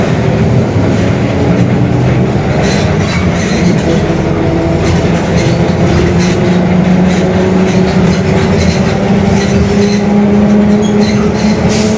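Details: Mercedes-Benz OF-1721 Bluetec 5 city bus, 2021 build, Mascarello GranVia Midi long body, onboard at speed: a low growl with a steady tone that climbs as the bus gathers pace, a worn rear differential growling.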